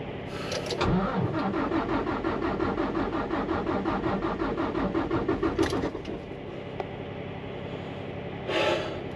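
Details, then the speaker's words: Volvo diesel truck in Canadian snow after an oil change, battery jumped to about 13.6 V; starter turns evenly about five seconds with steady compression beats but never fires; diesel not reaching the engine, fuel lines suspected clogged by snow buildup; needs priming. "wala wala guys wala wala walang gasolina walang diesel na umaangat"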